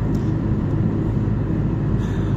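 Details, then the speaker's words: Chevrolet Niva (Niva Travel) on highway at 90 km/h after fix for highway whistle: even road rumble and engine drone with no whistle, a big improvement over before; still fine at 100 km/h. Normal highway cruise without whistle. "в общем да 90 км шума никакого вот этого свистящего в сравнении с тем что было до этого Небо и земля"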